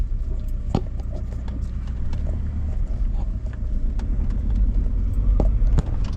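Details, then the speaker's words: Audi A4 on a test drive after repair work: steady road rumble with scattered sharp knocks and rattles at irregular intervals; rattle persists, owner suspects worn suspension bushes, not confirmed. "Yep. The rattle's still there. The only thing I can think of that was making that noise or that could be making that noise is couple of suspension bushes looked worn."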